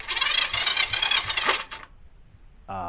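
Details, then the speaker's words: Honda CM125 twin engine being fitted into a Honda XR100 frame, plug out, basic wiring, battery charger on, ignition and neutral lights on: harsh high-pitched metallic rasp while cranking, fading after a couple of seconds; owner suspects the starter is grinding. "I think that's the starter in it"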